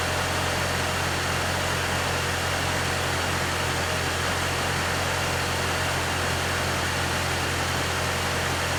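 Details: One-owner 1995 Infiniti G20t, cold start after sitting over 48 hours: smooth, even low drone at steady idle with no surge, ticking or knocking; normal cold idle.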